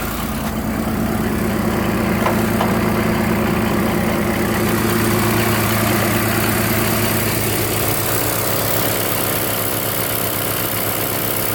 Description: It has started staying on high idle after the engine is warm. 60+ degree day as well. I can idle it down with the exhaust brake. Seems to have a fast lope at high idle.